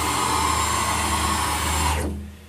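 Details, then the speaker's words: PM-940 CNC mill X axis with a 4.5 Nm (640 oz) closed-loop stepper on 60 VAC, traversing at 250 in/min: a loud howl/screech as the stepper loses steps, recovering without faulting. "so this one did not fault even though you heard when you hear that howling noise that means that the stepper is losing steps but it got back on track which is actually a nice thing"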